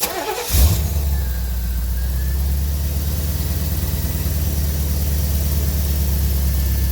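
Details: 1985 Chevrolet Corvette C4 after fuel pump troubleshooting, fuel pressure about 30-40 psi, next-day start: quick crank, catches at once, settles into smooth steady low idle; normal start and idle.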